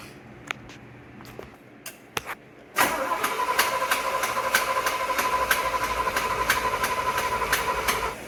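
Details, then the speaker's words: 1975 Chevrolet C10 engine, fuel pump diaphragm found bad: starter drags engine over slowly at about three beats a second for several seconds, no throttle input; never fires. Slow cranking, no start. "Sounds like it's wanting to turn over. I ain't doing nothing. Just slow."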